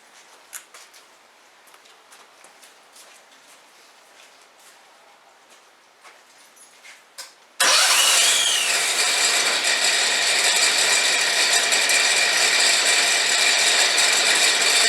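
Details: Longtail mud motor's small engine, fresh oil change and carburetor cleaned after gumming up last season: quiet seven seconds, then catches at once and settles into a steady, even, high-pitched run with no misses; normal start and run.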